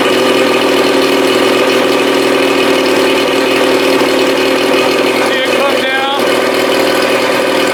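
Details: 1987 Johnson 40 hp outboard on a 1975 16' Starcraft, first fire, out of the water, new impeller: fast steady buzzing idle that never settles; idle speed too high, owner suspects timing advance or throttle cam, unconfirmed.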